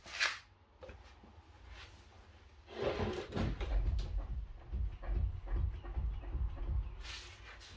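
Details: 2012 Nissan Juke 1.5 dCi, 110 hp, which pulls and clunks under hard acceleration: dull, irregular clunks as the front right wheel is rocked side to side, with no play up and down. The lower-arm ball joint is worn.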